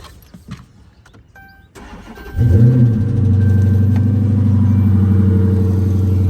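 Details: 2014 Dodge Charger started after a snapped heater core hose was replaced and the coolant refilled and bled: the starter catches within a second, a brief flare, then a smooth, steady idle with even firing and no knocks or misses.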